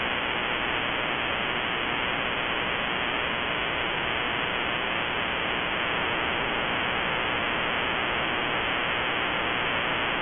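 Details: HAM shortwave receiver: steady broadband hiss and static from unknown-source RFI that persists with the house main breaker off and stops at 7:31 pm nightly, suggesting a timer; grow light or powerline suspected.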